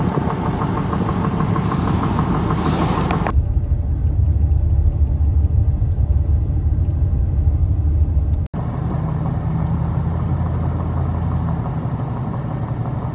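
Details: Goodyear Wrangler Authority tires on a truck, recorded on a phone when new, give a low, steady road rumble at cruising speed with no hum, thump or growl. This is normal new-tire sound.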